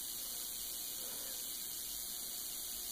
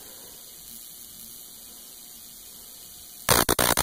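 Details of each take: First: Homemade jar capacitor with a plastic dielectric on a high-voltage power supply: faint, steady high-pitched hiss with nothing beneath it. Corona discharge is trying to pass through the insulating dielectric. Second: Homemade high-voltage jar capacitor discharged through a jumper cable; after a quiet hiss, sharp dry snapping cracks in quick irregular bursts, snappier than the smooth spark straight from the power supply.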